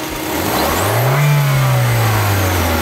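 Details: Hyundai Accent used as a known-good reference car for a P0420 catalytic converter test, exhaust backpressure gauge connected, revved to full throttle: engine note climbs smoothly and settles back evenly with no rattles or puffs, a healthy exhaust.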